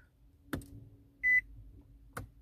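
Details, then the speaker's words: 2013 Nissan Altima 2.5, push-button start with brake pressed and fob held against button: two dull clicks with one short high beep, starter not turning, only dash lights come on; suspected key fob or shifter sensors; no crank, warning chime only. "nada tampoco solo se aprendieron de nuevo las luces ahí"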